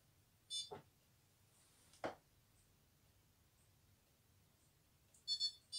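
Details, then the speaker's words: Older Indesit dishwasher, loaded with dishes and detergent: short bursts of high-pitched beeps between handling thumps; worked earlier, owner suspects it happens when loaded. Error alarm, cause unknown. "you hear it yeah something's wrong with it I know it didn't do this earlier but I think it's when you do load stuff up"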